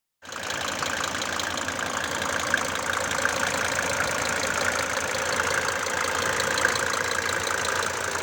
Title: OM 602 turbo diesel idle knocking sound #mercedes #mercedesbenz #w124 #om602